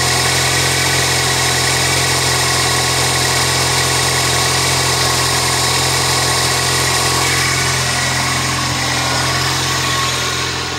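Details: 1999 Toyota Corolla 1.8 just started after the power steering pump pulley repair: steady, even idle hum, smooth beat, no whine or squeal from the belt-driven accessories; idling normally.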